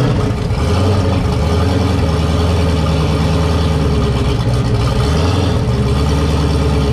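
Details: 1200hp turbo Camaro ("Cowmaro") on its first fire-up in a while, with fresh oil, warmed to operating temperature with coolant about 190°F: a deep, steady burbling idle with a couple of small blips that settles back evenly. Sounds healthy.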